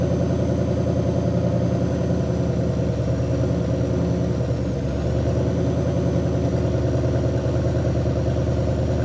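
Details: 1960 Pontiac Catalina 389 V8 sat since 1985, while adjusting points dwell (target 30°): steady idle settles smoother midway as dwell reaches about 40°, idle quieter and slightly higher, even beat, no misses.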